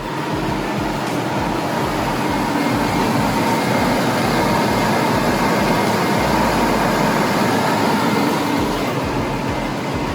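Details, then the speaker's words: 2003 Lincoln Aviator Intech 32-valve V8 after replacing all coil packs: steady, even idle with smooth low rumble, no misfire stumble or ticking; sounds healthier, normal idle. "All right, the moment of truth. Let's start her up. Woo! That sounds a lot healthier."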